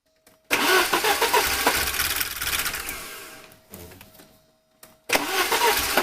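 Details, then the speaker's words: 1983 Porsche 944 Turbo after new fuel pump and relay, fuel rail gauge showing pressure: long run of churning cranking that fades, pause, then engine catches; slow to fire, just needed extended cranking, runs afterward with some smoke. "all right well that's pretty cool uh just needed to crank it some more"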